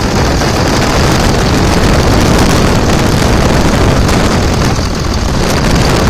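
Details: 2000 Dodge Ram 2nd-gen Cummins diesel idle after the AC compressor pulley was bypassed using a 65" non-AC serpentine belt: even, steady clatter, no squeal, knock or belt chirp; runs smooth, normal idle.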